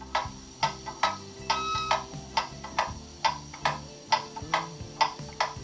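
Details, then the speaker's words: Pendulum clock on test stand after moving it slightly, through beat amplifier: steady tick-tock about 68 a minute, evenly spaced; more even beat, clock in beat. "that's a more even beat"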